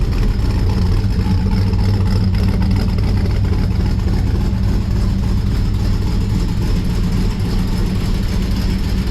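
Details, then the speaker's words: 1955 Chevrolet Bel Air four-door with Gen III LS V8 (4.8/5.3/6.0) running a Comp Stage 1 Thumpr hydraulic roller cam, changed intake and headers, not yet tuned: deep, choppy, loping lumpy idle over steady exhaust rumble; normal healthy cammed idle. "Well, there you have it. Thing sounds awesome. It's like super happy with it. Like I said, that's a Comp Thumper cam."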